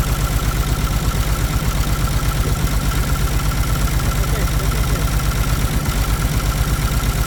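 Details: Caterpillar C13 diesel at rough idle with the valve cover off during an injector cut-out test after cylinders two and three. Heavy, uneven low thump near 170 a minute, lumpy beat; heavy smoke. Misfiring cylinder suspected, cause not confirmed.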